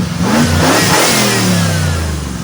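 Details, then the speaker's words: Engine-swapped 1988 Ford Ranger with 302 V8, running after replacing coolant-burning engine: revs blip up and fall back smoothly, no misses or rattles; throttle hangs slightly, engine sounds healthy. "But it's sounding very good right now. So, I'm I'm happy to report I think it's a healthy engine."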